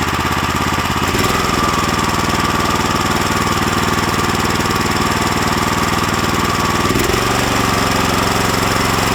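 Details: New Lifan LF390QE Pro electric-start engine fitted as a direct replacement on a flail mower: steady, even single-cylinder thumping with one clean step in speed, running smoothly with no knocks or misses.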